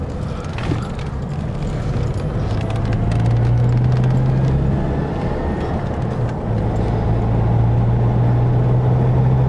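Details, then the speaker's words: 2004 Chevrolet Colorado, 5-cylinder with 5-speed manual, driving at about 35 mph after hub bearing/ABS sensor replacement: steady road roar and engine drone with no hum, growl or grinding. There is no wheel bearing noise, the ABS light is off and the truck feels much better. "All right. Truck feels much, much better now. So very happy about that."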